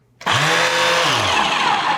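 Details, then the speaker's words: Shark Rotator vacuum suction motor, which made a horrible racket and smoked in use, switched on before teardown: harsh, raspy high-pitched roar jumping to full speed with a rattling edge; owner suspects internal damage. "well that sounds horrible it sounds kind of like internal damage"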